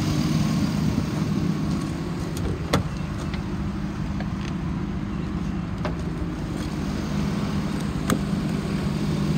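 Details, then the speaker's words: 2005 Hummer H2 4x4, 6.0 L V8, 72,300 miles, warmed up after nearly an hour running, revved: steady even engine note, no knocks, misses or ticks; engine normal despite transmission not engaging any gear. "motor sounds good it rubs up nice"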